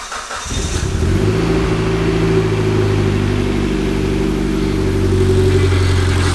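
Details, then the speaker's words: Mitsubishi Evo X just after engine swap with new oil pan and fluids, first start: engine catches quickly and settles into a smooth, even idle with no knocks or misfires; no drips seen; shut off after 10 seconds to top up power steering fluid. "Starts okay so far. Let's see if there's any leaks or anything."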